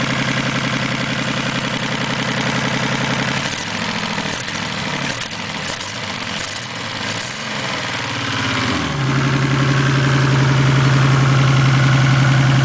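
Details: 1987 Supra Turbo, just bought, new platinum plugs fitted (old ones fouled), high-octane fuel: uneven idle with a lumpy, stumbling beat and a dip before settling, like a cylinder dropping out; misfire, cause unknown.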